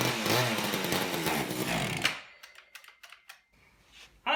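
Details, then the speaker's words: Old Craftsman chainsaw after unknown long storage, good compression and spark, gunked carburettor: screams at high revs about two seconds then cuts out abruptly, won't idle or keep going; needs carburettor strip and clean. "I think the only way you're going to be able to save it though is to take it all apart and clean out the carburetor doesn't want to idle it doesn't want to keep going"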